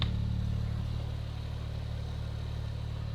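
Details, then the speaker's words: Porsche 997 911 Turbo rebuild, engine deck lid cooling fan: steady low hum with faint even flutter, spinning down slightly; fan works, only runs with trunk lid closed, quieter than with it open. "So I'm pretty sure I hear it working now. It's not nearly as noticeable as when the trunk lid's open, and it won't work when the trunk's open."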